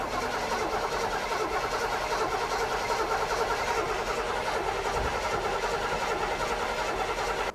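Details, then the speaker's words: '73–'77 GM A-Body muscle car, being revived. It is cranked with the interlock keyed up and spins steadily but never catches. No fuel reaching it: the fuel filter is empty, and a gas jug is tried next. "give it a crank keep going try to get some fuel in this thing"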